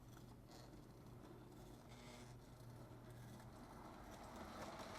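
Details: Reconditioned Lionel 027 steam locomotive pulling a UPS freight set, run on DC from a large power pack. Quiet, even motor hum under soft track clatter at a slow crawl, no catching or surging; the motor runs smoothly.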